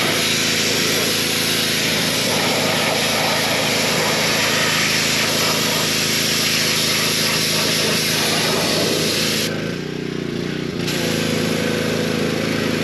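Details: Pressure washer with replacement pump (4-bolt, 3/4 inch shaft): small petrol engine holds steady even drone under pump load, no knocks or rattles; healthy after the repair.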